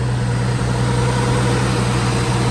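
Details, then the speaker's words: Nissan Skyline R32 RB20DET after fixing a high, fluctuating idle: smooth, even idle holding steady around 1100 rpm with no hunting or surging; the idle is now fixed. "so i think it's safe to say that the idol is fixed"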